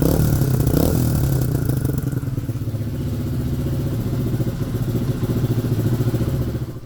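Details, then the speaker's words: Pit bike after valve clearances, badly out of adjustment, were reset; now starts warm and cold. Small single steady thumps at fast idle with light revving, no misses. Normal running. "After the adjustment, the Pit bike finally started. Both when warm and cold."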